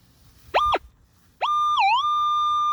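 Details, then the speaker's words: Minelab Equinox 800 in pinpoint mode over a target: a clean steady tone rises, dips briefly as the coil passes, then holds level. "i can back up and where that sound stops that quarter is going to be right there at the end of the coil that's another way you can pinpoint"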